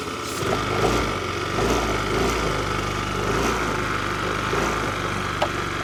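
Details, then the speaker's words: Ice Bear 50cc scooter/trike with a no-start complaint: the single-cylinder engine drones with a rough, uneven pulse, kept running only by spraying starting fluid into a vacuum leak. The broken, plugged vacuum line starved the vacuum-operated fuel valve feeding the carburettor, so no fuel reached it. "this vacuum leak over here was stopping this one from getting enough vacuum to open fuel to get fuel down to the carburetor"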